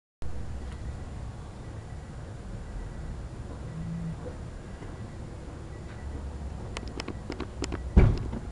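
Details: 1995 Honda Civic Si won't start: rapid fast clicking with no cranking, caused by dead battery and battery cables not making good connection; fixed with new cable connectors and a new battery.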